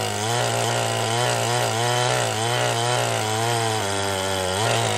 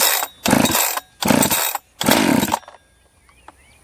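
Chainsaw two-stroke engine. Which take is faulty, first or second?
first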